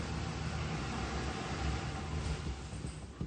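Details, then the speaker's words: Car with a previously replaced fuel pump, running on leftover fuel after cranking: low, uneven idle sags and fades with no response to throttle, stalling within seconds; fuel starvation because no power comes out of the fuel pump relay. "This is just fumes. It's running off of fumes, so it's going to stop in about 10 seconds. If I try stepping on the gas, no power."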